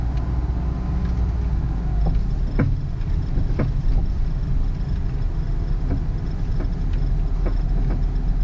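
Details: 2001 Ford Focus front suspension: sharp, irregular pops every second or so over low idle rumble, clunks from front right and left; owner suspects worn bushings and ball joints or whole control arms both sides; squeak heard is the passenger-side A/C blower motor.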